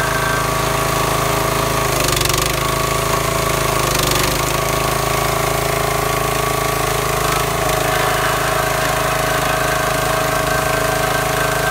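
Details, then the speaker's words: New wood splitter's small single-cylinder engine that quit from water-contaminated fuel, after draining and flushing the tank and running clean fuel: holds a steady, even run with no sputtering or missing; normal running. "now we're running clean fuel all right now you can hear the splitter running it's not spammering and missing like it was"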